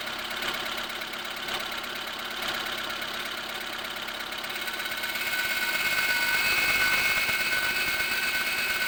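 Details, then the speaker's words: Lada Granta, 81,000 km, cold engine idling: thin high whistle and hum appear when the clutch pedal is pressed; attributed to a failing INA clutch release bearing. "читая что свист такое происходит из-за выжимного подшипника который пришел приходят в негодность"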